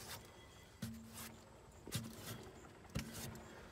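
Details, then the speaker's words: Mazdaspeed3 good-side front wheel spun by hand during an oil change: three short, smooth hums with no grinding, rumble or spring vibration, in contrast to the failed opposite front wheel bearing. "if you guys do have that issue as you can hear over here there's no noise whatsoever"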